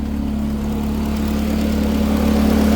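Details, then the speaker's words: Truck with fuel pressure lowered to about 47–48 after the internal fuel cell leak fix: a steady, even, clean low idle with no hunting, misses or knocks; check engine light came from the IAT sensor; running mint. "But it's running. It's running mint."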